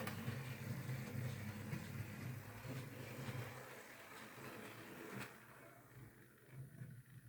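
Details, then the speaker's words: Hornby R2959 Thompson L1 2-6-4T model loco, used, after greasing the worm gear: soft, even motor whirr with light regular ripple and no grinding, fading gently. Earlier grinding came from lack of lubrication; now normal running. "Yeah, that's sounding a lot better. Just greasing that worm gear has made all the difference."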